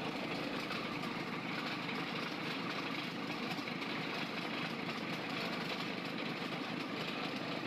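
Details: Freshly overhauled 4TNE98 diesel on a temporary test stand, leak-test run: steady idle with open-exhaust chatter and valve clatter, valves seen moving; no knocks or misses, healthy.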